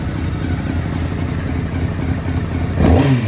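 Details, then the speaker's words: 2005 Honda CBR600 finally running after no-start caused by new ignition switch lacking diode (fuel pump, injectors, bank angle sensor also done): smooth, even inline-four running, pulls up cleanly on throttle blip near end; no misfire or clatter, normal revving. "Yeah, my baby back running, man. Happy as hell, man. Happy as hell. Finally running again."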